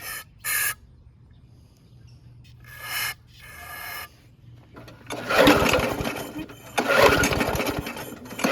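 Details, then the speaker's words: Abandoned Yard Machines (MTD) push mower, 4HP Quattro Briggs & Stratton, first start on two-cycle mix with carb spray, oil in carb from tipping: sputters, catches, runs ragged and surging; coil good, owner hopes exhaust oil isn't bad rings. "there is oil in the carb here from me tipping it up but this is some two cycle mix it should work fine for this test"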